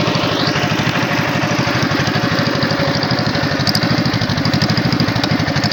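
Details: Tow-behind flail mower's Wisconsin TJD 20 hp inline two-cylinder engine, battery iffy, test-cut grass fine: quick, even putt-putt pulses at steady speed, no misfires or knocks; runs healthy.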